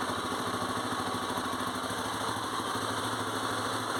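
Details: 2002 Honda Tornado 250 single-cylinder at idle after replacing a worn cam chain tensioner that was not tensioning the cam chain: steady, even idle, no ticking or chain rattle; the cam chain noise is gone.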